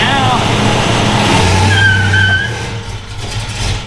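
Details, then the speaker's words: Dodge Coronet V8 after repairs: blips up and settles back into a deep, even rumble with no misses or knocks. Normal running. "that's how she was supposed to run she's a fire breathing dragon now"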